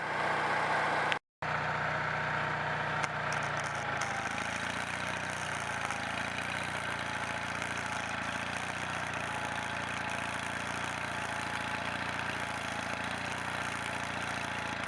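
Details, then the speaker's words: Onan 4.0 generator after repair, running on its own gas tank with a new fuel filter and shutoff, powering a welder: it holds a steady, even drone under the welding load without hunting or bogging, pulling fine. "alright YouTube it pulls good under under a load there you go"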